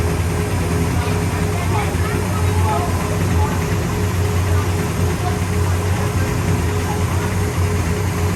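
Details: 1966 Pontiac GTO convertible V8: deep, steady rumble with even firing, no misfire, stumble or knock; runs healthy.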